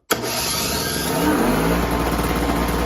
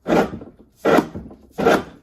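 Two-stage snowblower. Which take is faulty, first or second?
second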